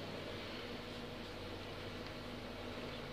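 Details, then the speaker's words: Large truck after power steering repair, fluids filled, system being bled: low steady engine hum with no whine or groan while steering, no leaks, steering turns with one finger; normal power steering operation. "Alright, so power steering works. No more noises."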